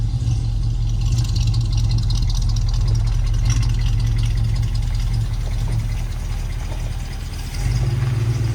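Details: 1973 Chevrolet K5 Blazer V8, bought with a broken motor and now repaired, on a test drive: deep, steady V8 rumble with an even beat, no knocks or misses; normal running.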